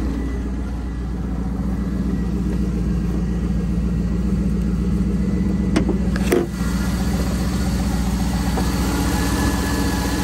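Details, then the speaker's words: Car idling with the check-engine light on: a steady idle with faint irregular ticking about four per second from somewhere under the hood. The source is unidentified. "There's some type of noise. Where is it? Something going on under the hood."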